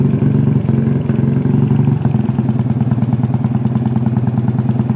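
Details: Yamaha Vega R New with 53 mm bore-up, after installing Koizumi hard valve springs and an oil change: even single-cylinder idle with steady low pulses and a light top-end tick, no knock or misfire; normal idle.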